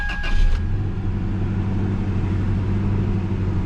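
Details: 2001 Toyota Tacoma at a junk-car auction, 247,000 miles, no warning lights: low, steady idle hum with an even, unhurried beat, no ticking or rough stumbles; normal idle.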